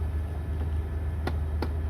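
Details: 1999 Toyota 4Runner (3rd gen) running: sharp, evenly spaced clicks about three a second over the engine and blower hum. The HVAC is stuck on cold, apparently due to a failing blend door actuator (servo sub-assembly), which is to be replaced.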